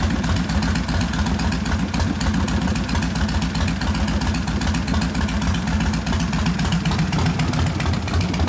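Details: 1972 Harley XL Ironhead Sportster bobber with rebuilt engine (after wasted pistons and pinion bushing): loping, uneven V-twin idle at a steady pace with no lifter ticking; healthy.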